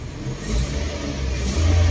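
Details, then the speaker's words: Toyota after replacing faulty Mitoyo part with surplus original Toyota Japan part, AC on (previously worsened vibration and exhaust popping): deep steady exhaust note rising cleanly, no popping or misfire; normal revving. "Aircon. Ayun, ayos na. Hindi na pumuputok-putok yung tambutso."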